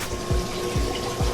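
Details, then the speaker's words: Pump on a 75-gallon reef aquarium run at 100%: loud steady watery hum with a soft whoosh surging about twice a second; pump too noisy at full speed. "and then I got I can't run this at 100% it is extremely loud let me see if I could let you guys hear"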